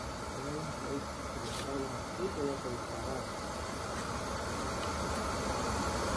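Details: Oil-fired boiler that would not light because clogged filters restricted the oil, after all filters were replaced: a steady soft roar with an even hiss and no surging, puffing or sputter, indicating the burner runs smoothly.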